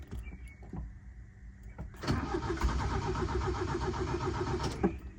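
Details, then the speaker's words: 1977 Toyota motorhome with rebuilt engine, in neutral after long storage: starter turns the engine over at a steady, even pulse for about three seconds but it never fires; cranks, no start, electrics working, cause unconfirmed. "I want you to hear what's going on because he's not starting up. Electricity's working."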